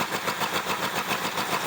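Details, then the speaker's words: Neglected 1975 Ford Granada V8 running on brake clean: uneven stumbling idle with loping beat and hissy edge, wants choke; probable vacuum leak, vacuum tree found unplugged. "Definitely wants to choke. Probably a vacuum leak, I can hear it."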